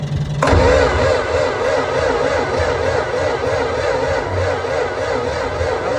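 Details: $100 barn-find Massey Ferguson 300 tractor: starter whirs and the engine turns over steadily at about four pulses a second but never fires. Spark present; no fuel, as the fuel system is not connected.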